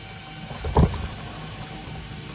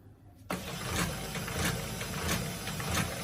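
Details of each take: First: HP LaserJet P1102w after paper pickup/feed repair: one brief clack at switch-on, then quiet with no grinding or repeated clicking; the earlier noise is gone, normal power-on. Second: HP LaserJet P1102w with a paper pickup problem, at power-on: a motor whirs and the pickup tray mechanism clacks up and down about every half second; the fault lies on the printer's right side.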